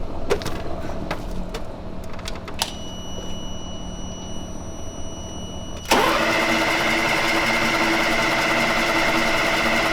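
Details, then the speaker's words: FMTV military truck bought at auction as non-running, first start attempt: a few clicks and clanks, then the diesel fires suddenly and holds a steady, clattery idle without stumbling; now running normally. "what's up [Music] motor what is it you're making a face it's running now yeah i'm getting the hell out of the parking lot"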